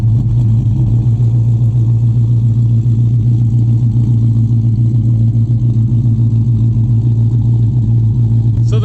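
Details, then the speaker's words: Cammed Dodge Charger R/T V8 (CompCams HRT Stage 2, E85 tune) idling cold, recorded from outside the car: low, steady idle with a mild lope of three or four pulses a second. It chops less than when warm; a normal cam idle. "since the car is still cold, it's not chopping as much as when it's warm, but you could definitely hear"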